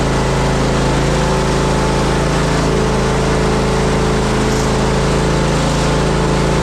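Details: Zero-turn mower, previously a non-runner, single-cylinder engine running steady at full throttle: light tinny rattle on top; owner suspects the loose heat deflector shield on the back.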